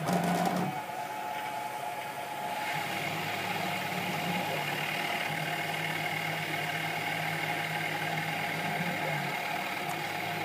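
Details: Sieg KX3 CNC mill cutting a logo with a center drill: an even high whine with steady tones over a constant hiss of cutting, with no knocks or grinding. The stepper motors are running normally.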